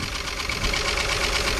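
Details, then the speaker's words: 1964 Rambler American 440 wagon, 232 inline six, first run after 26 years off the road: smooth even idle like a sewing machine with a faint quick tick on top, source not identified; smokes a little. "it does have a little bit of a tick to it that gum she's a runner now"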